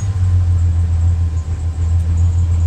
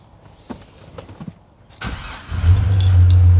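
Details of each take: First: 2005 Chevrolet Silverado idling after the distributor cap posts were cleaned: a low rumble that dips and stumbles, with cylinders one and two still misfiring; traced to a worn distributor cap and rotor, replaced next. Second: 2005 Chevrolet Silverado after new distributor cap, rotor and ignition coil for cylinder 1 and 2 misfires: it catches after a short crank and settles into a steady, even idle with no misfires; check engine light cleared.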